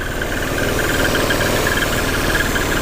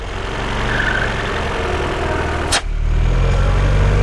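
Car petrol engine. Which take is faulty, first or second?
first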